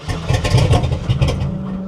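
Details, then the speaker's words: Cold 1960 Chevy Biscayne V8 with a carburetor pumped for a cold start: it stumbles and surges raggedly, seemingly running on about four cylinders. It is running rough. "it's hurt dude it's rning like four I told you it's mad"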